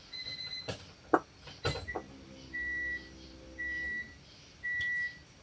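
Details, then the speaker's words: Kyler's wagon (D-series, multi-point injection) after fixing a ground wire: key-on dash chimes over a soft low fuel pump hum about two seconds, cycled repeatedly to build pressure and check for leaks before cranking. Fuel pump priming. "Jared, I'm going to cycle it again. >> Yeah. We need build pressure."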